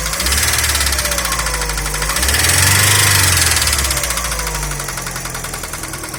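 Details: Daewoo Nexia engine: quick, regular ticking knock over the engine note that keeps pace as revs rise and fall; knock inside the engine, source unknown.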